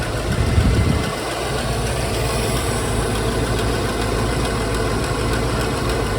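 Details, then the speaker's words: Jensen Healey V8 with new heads, hot at idle: even idle with light intermittent ticking; owner unsure, maybe lifters; possible exhaust pipe leak suspected. "Apart from that, it's running fine. There is a slight tick. Intermittent. Tick tick tick tick tick tick tick tick. Unsure. Maybe can lifters maybe."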